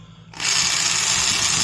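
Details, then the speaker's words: A worn Milwaukee 0224-1 3/8" Magnum corded drill spins up into a loud, gritty "box of rocks" rumble. Its undersized gears are worn out; the gearbox has very little grease, but that is not the root cause. "Already kind of sounds like a box of rocks. And even though there is very little grease in the gearbox, that isn't the root cause."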